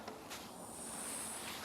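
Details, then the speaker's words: Maple sugaring vacuum main line with its ball valve shut for several seconds: faint, steady airy hiss with a thin high whistle from a leak, later found to be a critter tooth hole, fixed with electrical tape. "there's a leak on that line too so we know we've got to go up these Main lines and find them"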